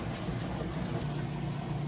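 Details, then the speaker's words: Kenmore washer draining before the final spin: steady, even low pump hum with no rattle or grinding. The drain pump is working normally. "right now it's draining out the water you can hear drain working perfectly as it moves into the final spin"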